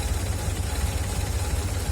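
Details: Older Honda Civic (Grand Civic/LX) idling after fresh SAE 20-50 oil and a new filter, checked for drain-bolt leaks: low, even idle with a slight pulsing unevenness; runs fine, only a bit rough, which the owner puts down to age.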